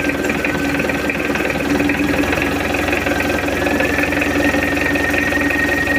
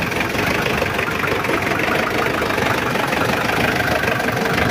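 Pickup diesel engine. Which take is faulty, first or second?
second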